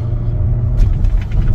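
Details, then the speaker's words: Audi 3.0T supercharged engine, first drive after replacing supercharger belt tensioner and idler pulley (codes P0235, P0068), warming up while cruising: deep even rumble, no supercharger whine or chatter; bad tensioner pulley confirmed as cause. "everything sounds normal there's no issue with the super charger obviously and now I can confirm that it was that bad pulley on the uh tensioner that caused me all that grief"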